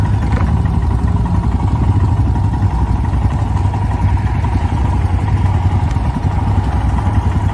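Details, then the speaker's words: Stock Royal Enfield Himalayan single-cylinder after cold start: even thump at steady idle with no misses or clatter; healthy idle. "And when you turn the key and you hit the throttle, it just idles."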